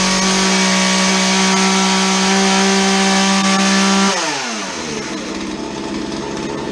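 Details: Chainsaw that would not idle, after dumping old fuel, cleaning and refitting a modified air filter: strong, steady buzz at high revs that drops cleanly to idle without stumbling; running healthy after repair.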